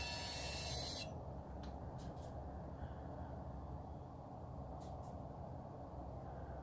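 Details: 2017 Dodge Charger 6.4L, engine off after sitting in the garage for an hour: a steady airy hiss for about a second then quiet; the cause of this weird noise is unknown.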